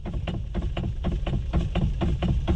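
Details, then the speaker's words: Maruti Alto parked at idle, steering wheel rocked: rapid clunks about four a second from the steering rack tie-rod ball joint where it joins the rack. "ये ये आवाज है steering rack की जो अपना steering rack ball joint and एक ही साथ जुड़ा होता है ये उस चीज की आवाज है"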